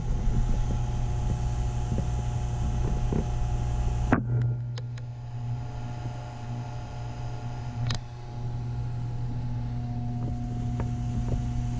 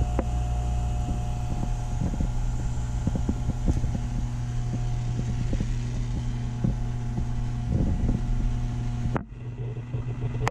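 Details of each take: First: Taco circulator pump in a heated driveway snowmelt system, tested before startup: constant low hum under water-flow noise, changing pitch when pushed on; owner suspects vibration through copper piping, not air, possibly normal. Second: Snowmelt heating system with Taco pumps, tested before startup. Constant low hum under irregular soft swishes and gurgles; the owner judges this normal water flow through the heaters.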